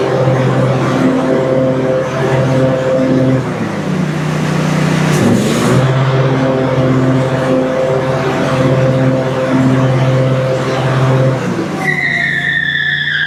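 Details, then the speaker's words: Briggs & Stratton Intek V-twin on an Exmark Quest zero-turn mower after valve guide fix: strong, even drone that dips briefly under load and pulls back up cleanly, running well on both cylinders. "run. Great on that side, too."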